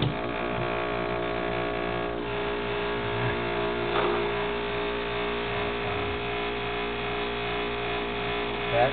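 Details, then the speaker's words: 10-year-old refrigerator compressor near failure: loud, rough, buzzing hum droning steadily, a so-called death rattle meaning the fridge needs replacing. "that's known as a death rattle but when you hear that out get yourself a new refrigerator or call me"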